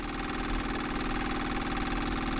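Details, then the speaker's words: Sailboat diesel engine that stalled, fuel pump running with bleed screw open after adding 10 gallons diesel: steady fast buzzing hum with fine ticking that never slows or changes tone; no load, suspected pumping air, tank pickup clog suspected. "that to me sounds like it's pumping air there's nothing there's no tension on it but right now i've got the bleed screw open"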